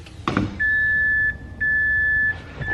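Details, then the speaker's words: MazdaSpeed 6 after a high-pressure fuel pump internals install, key on and engine off: two short, steady high-pitched hums, then cut-out. The pump primes normally, though the owner feared fuel spraying. "I'd assume it primed but we'll go ahead and twist it one more time and see but damn that scared me I thought that sounded like fuel spraying everywhere"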